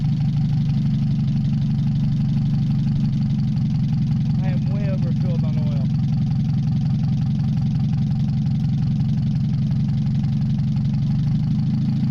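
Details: Mazda 626 first start after cylinder head reassembly, warming up, rest of exhaust not connected: low heavy idle wavering and shaking. Owner suspects O2 sensor misreading the open exhaust, possibly old gas. Rough fluctuating idle.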